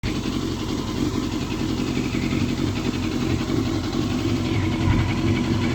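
The four-cylinder runs with a ragged, uneven beat and stumbling pulses as it revs, consistent with a misfire.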